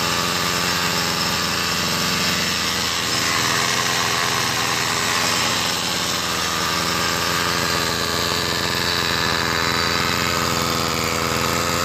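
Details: Homelite SX135 Bandit UT-20601 two-stroke string trimmer after new fuel lines and a used replacement carburetor, primer bulb valve suspected leaking: buzzes at a steady high pitch for twelve seconds with no surging or dropouts; running fine.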